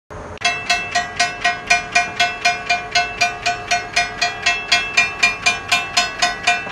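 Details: Railroad crossing signal bell with steady strikes about four a second that ring flat and short like a cowbell instead of a clear ring; faulty bell, suspected clogged, cracked or heavily rusted, cause unconfirmed.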